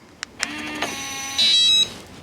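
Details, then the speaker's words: RV door lock after new batteries, key fob lock: a couple of soft clicks, brief motor whir as the deadbolt extends, one short chirp, no repeated warning beeps; lock working normally. "absolutely worked all right i don't i hope you guys can see it but the uh the little deadbolt piece here came out and it would be locked now if i had it shut"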